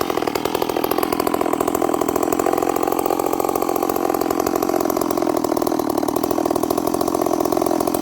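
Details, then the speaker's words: Stihl 038 Magnum chainsaw, carburetor issues: revs crisply but comes back down to idle sounding really rich, with a little bumble and stumble off idle; leaning it out made it way too lean. "It's revving, but listen to how it comes back down idle. It sounds really rich. And then watching the footage, friends, I lean it out and it's way too lean. You can hear a little bumble, a little stumble off idle."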